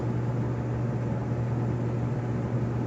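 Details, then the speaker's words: Kenmore 400 Series gas dryer model 110.77422600, run-but-no-heat case, igniter seen glowing through front inspection hole: even low drum-motor hum, no clicking or rattling while igniter heats; normal igniter operation before ignition. "okay there is the glow that's your igniter is working"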